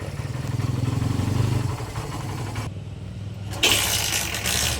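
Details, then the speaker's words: Barako 175 motorcycle, cold engine, after new float valve seat, carburetor tuning, valve clearance, decompression adjustment, tank, air filter and plug cleaning: small single catches on one click and settles to even idle about four beats a second; former hard start fixed. "Bang Click hindi na siya mahahirap buhayin mga lods. An yan easy click na siya mga lods."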